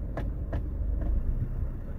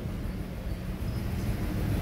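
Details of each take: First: Honda Jazz 7-speed automatic idling in drive after repair of strong vibration in drive or reverse: low, even rumble with only a couple of light clicks, no shudder or drumming; normal idle in drive. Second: Mitsubishi Mirage at idle, check engine code P0301: rough, uneven stumbling idle that never settles, lacking power; cylinder 1 misfire persists after clearing code, ignition coil or injector suspected.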